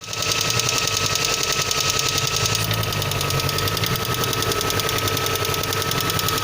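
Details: VAZ 2112 petrol engine at cold start: quick, fairly regular ticking knock over a busy, tinny engine note at steady speed; cause not determined.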